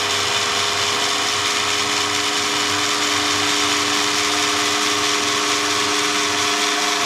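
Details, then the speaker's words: Repaired 60-some-year-old Lionel 350 transfer table motor, back together after disassembly: small motor hums with a steady, even whine and no growl or rattle, then stops cleanly; much quieter than before, normal run. "see that's how that works so back together much quieter"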